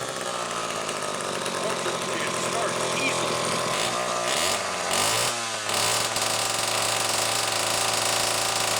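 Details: Homelite 4-20 chainsaw on final test run after repair, with an odd spring-loaded converted choke: raspy two-stroke buzz holding steady, a quick blip of revs settling back to an even run; healthy running.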